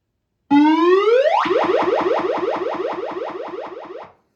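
A rising electronic sweep, then about a dozen quick repeating chirps fading over three seconds; the game is powering up normally.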